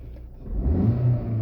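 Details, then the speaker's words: Lada Vesta 1.6 after repair of shaking and misfire on cylinders 1 and 2, cause turned out minor: short throttle blip rises smoothly from low rumble and settles without stumble; normal revving. "Chotki gaz ko'tarishlari. Akalar, mashinamiz muammosi arzimagan narsadan chiqdi."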